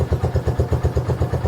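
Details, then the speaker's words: 2015 Honda CB1 125cc, started on the electric start after the choke is turned off: even, steady thumping at about eight beats a second with no misses or knocks, a healthy single-cylinder idle. "she's idling look at this it's a honda she's island oh damn nice man this is this is cool it was definitely a long journey to get it but she's idling what do you expect like wow okay"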